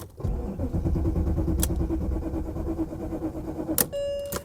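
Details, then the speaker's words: 1987 Chevy Monte Carlo Luxury Sport at salvage auction: steady starter churning about three turns a second, never fires; cranks but won't start, owner believes it is out of fuel, gauge not moving. "nope I know what's wrong with it I ain't got no gas in it"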